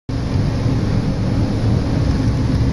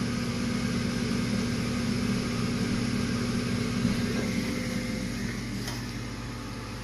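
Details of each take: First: 80% furnace running: a loud, steady low rumble and rattle because the inducer motor is badly out of balance; the inducer motor is to be replaced. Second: Eighty-percent furnace after replacing an out-of-balance inducer motor whose blower wheel was missing pieces and caused loud vibration: new inducer runs smoothly with a steady, even hum and low drone, no rattle.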